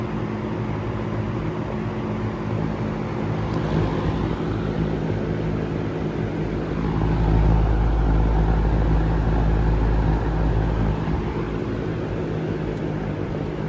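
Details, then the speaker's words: Restored harvest-gold vintage fan (the "golden" 47) test-run on high after restoration: a steady low motor hum with a soft even beat about three per second, swelling briefly, running smooth and healthy. "We'll turn it on high. Well, that runs nice."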